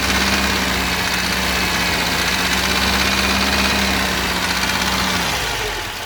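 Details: Mercedes 190 (W201) with the 2.0 M102 engine: a quick, steady knock about three times per second over the idle persisted after a timing chain and tensioner replacement, until the engine wound down. Teardown found a spun rod bearing on cylinder three, with the piston pin fine.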